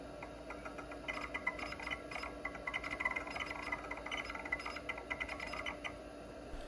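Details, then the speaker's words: Old Kalok hard drive in a 286 PC running check disk, heard from a different angle: quick irregular head-seek ticking over a steady low spindle hum; drive sounds healthy and works normally. "I love the sound of these old K-Log hard drives, but unfortunately, the failure rate of the ones that I have come across is fairly high. So yeah, really excited to see one that's working."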